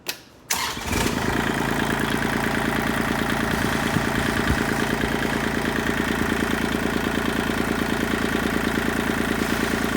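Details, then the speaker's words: Kubota tractor diesel after loader handle repair with two new O-rings at the joint washer: catches and settles to a steady even idle with no buzzing or rattling from the loader lever, which previously vibrated at idle. "there you have it finally a quiet loader handle seems been driving me absolutely nuts at idle it would just vibrate like like crazy"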